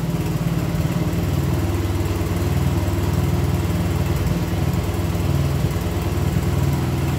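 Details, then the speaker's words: 1975 Honda CB125S single, family heirloom barn-stored 15 years, first start: low, uneven thumping idle with an irregular beat that never settles; runs but timing and tune still need adjusting. "there you go i still gotta adjust the timing and other stuff to get it all right so anyway you see it's a runner um anyway i'll get it all tuned in so it fires up better and runs better and all that kind of stuff"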